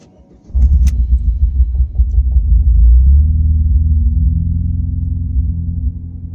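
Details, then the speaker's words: Car's first start after the owner's first DIY clutch replacement, sat on jack stands for weeks without starting; catches after short crank then lumpy uneven idle, unhappy even in neutral, owner blames sitting, rough idle unconfirmed. "sounds a little bit unhappy okay it started up a bit funny I'm gonna put that down to the fact it's not been starting quite a few weeks"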